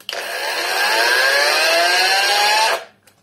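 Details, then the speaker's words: Cordless angle grinder bought from AliExpress, on its second battery: motor whines up to speed with a rising tone, runs under three seconds, then cuts out abruptly; discharged batteries suspected. "Со вторым аккумулятором все то же самое. Останавливается сразу"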